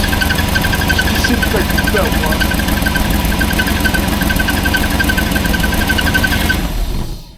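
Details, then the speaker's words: 1989 Range Rover Vogue SE V8 idling after head refit; rough rhythmic thrum with faint squeal, shredded belt slipping on suspected seized alternator pulley, belt too hot to touch, low voltage, EFI warning light on. "Um and also we got the EFI warning light on and that belt is just absolutely because the belt is slipping."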